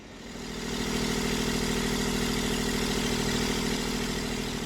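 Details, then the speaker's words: Canal boat diesel generator after coolant flush and new thermostat, started from cold, running about 8 minutes: steady even drone without surging or cutting out; previously cut out within about 3 minutes from cold. "as you may be able to hear, and among all the other yard noises, we have the generator running. And it's been running for, what, 8 minutes so far."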